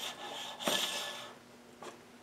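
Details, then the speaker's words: Rover V8 front air-conditioning compressor pulley with electromagnetic clutch, spun by hand after long storage: dry hissing rasp from the pulley bearing, very little play but sounding dry; owner considers repacking it with grease rather than replacing. "but this just precious little play on it but it sounds a bit dry"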